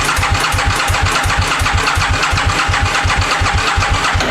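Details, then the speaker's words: 2000 Aprilia Mille R that sat for years, turned over on the starter without trying to start, to prime oil to the top end: fast steady cranking with dry mechanical clatter, no firing, quieting as oil arrives. "you could hear how dry the engine was when the engine was pulling over from the bike setting because there has been no oil run through this in such a long time and it just quieted down"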